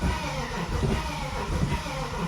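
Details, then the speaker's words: BMW 330ci, intake manifold and water pipes refitted, no coolant, fans unplugged: lumpy cranking with pulses as if trying to fire, but no start; cracked cylinder head leaking water found. "it seems like it's just trying to fire so let's keep keep trying it so she'll she'll pop off"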